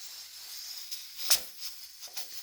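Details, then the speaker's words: Stovetop pressure cooker with weighted rocker valve at full pressure, cooking about five pounds of pulled pork: soft steady hiss with short steam puffs, normal steam venting. "I have the pressure full as you can see just enough to where there's a little bit of pressure coming out you can hear it"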